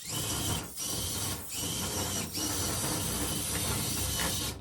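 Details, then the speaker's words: Electric motor of the SCX24-based Lunar Rover build whirs evenly in short runs on a metal table, with hard-surface rattle but no gear skipping or stripping; drivetrain running normally. "It doesn't sound great because it's running on a metal table, but you're also not hearing gears stripping out."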